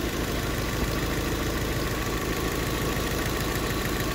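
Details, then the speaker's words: Nissan Sentra idling: lumpy uneven chug under steady rumble, one cylinder dropping out, confirmed by unplugging each cylinder; misfire traced to a faulty fuel injector, engine shake also straining mounts. "luego baja es es definitivamente este cilindro y tiene que ser o el o la señal que le llega al inyector o el inyector tapado"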